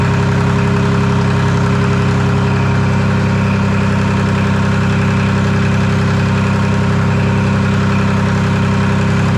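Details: Detroit Diesel 3-53 two-stroke diesel, first start after 25 years idle and camshaft reversed to correct orientation: even, steady beat about 220 pulses a minute, no knocks or misses; warming to about 100–150 degrees, no exhaust fitted; running nicely.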